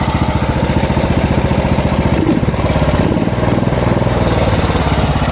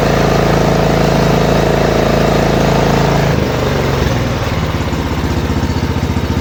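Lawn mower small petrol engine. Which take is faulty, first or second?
first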